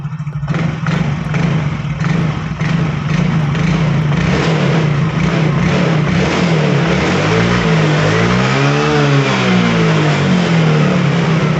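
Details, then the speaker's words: Yamaha Fino automatic scooter revved on the stand after CVT work: pitch rises and falls smoothly, and the earlier crackling "kretek" from the CVT is gone; road test still pending. "is okay, you can no longer hear the banging sound, Bro, and now we just have to try the road test."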